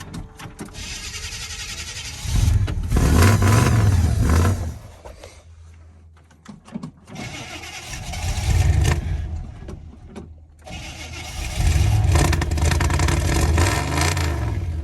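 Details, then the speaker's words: 1983 Chevy K20 V8 (C10 body), parked all winter in cold Alberta, low battery: catches and runs a couple of seconds then dies, three times; burned the good fuel, now drawing water from the tank. "well I'm afraid it's doing the exact same thing it did last year I didn't uh fully diagnose why it got water in the fuel tank"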